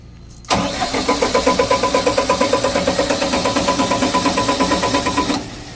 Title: KEYPOWER GENSET HARD STARTING.